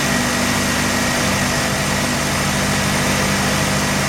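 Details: Mazda RX-7 rotary that failed inspection with very high CO (2.70): loud buzzy idle with an uneven, lumpy, shaking beat, misfiring; owner reports no oil pressure, misfire worse with slight throttle, ignition leads already measured; cause unknown.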